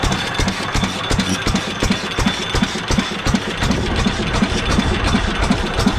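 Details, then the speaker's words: Restored 7.5 HP Fairbanks Morse single-cylinder engine with new adjustable governor linkage replacing original that held quarter throttle and bounced: evenly spaced firing near three beats a second with steady valve clatter; healthy, well-governed slow run. "this thing is so ready I'm really happy with the way it runs so"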